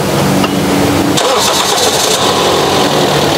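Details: Toyota Yaris Type E 2011 automatic, start test with a GS Astra 12 V 45 Ah battery (CCA about 300) dropping to 10.48 V while cranking: brisk, even cranking catches within about a second and settles into a smooth idle; battery, starter and charging normal.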